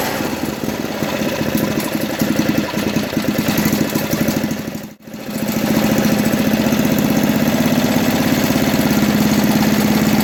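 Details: 1980 MTD SnowFlite 5-20 snowblower on a new carburetor, mixture screw opened one turn: small single settles from a brief stumble into a steady, even putt at fast idle, about three pulses a second; running properly.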